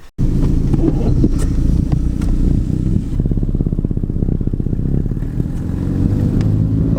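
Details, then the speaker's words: Turbocharged daily driver while driving: loud, rapid ticking that quickens with revs, believed to be an exhaust leak at the turbo or downpipe. A separate boost leak found with a smoke tester is not audible here. Exhaust leak ticking. "that sound is terrible I'm not sure how well you can hear it on video but it's ticking very loud it's bouncing off of every surface it can right back in my ears"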